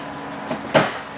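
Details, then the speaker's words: Smart Roadster with about 14,864 km and a computer-controlled automated clutch gearbox. Two quick clicks after stopping are the gear actuator normally engaging a gear. "listen to the gear box that clicking here afterwards is the gear this is engaging"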